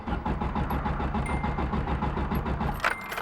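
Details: Ford KA with a suspected bad fuel pressure regulator, running rich and hard to start: fuel pump fuse pulled to bleed rail pressure, steady starter churning about three and a half beats a second, engine never catching; crank no start.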